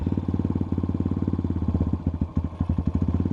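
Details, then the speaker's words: 2021 X-Pro Titan 250cc single-cylinder dirt bike with the choke off, after the owner removed a small piece while awaiting a replacement Mikuni carb: uneven, lumpy chugging that keeps sagging, barely running. Engine barely running and stumbling; fuel mixture cause not confirmed. "Oh, damn. With the choke off, dude, it almost wants to run, y'all. That's crazy."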